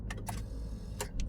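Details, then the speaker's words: Same car, restarted and shut off, then key turned to start again: only a few dry, uneven clicks with no cranking, and the horn also sounds weak. The battery is too weak and needs charging; starter clicking from a weak battery. "Nah, ini tidak kuat lagi ya rekan-rekan. Nah, sepertinya ini memang harus dicas dulu untuk akinya."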